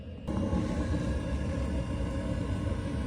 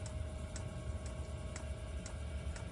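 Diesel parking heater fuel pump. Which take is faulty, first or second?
second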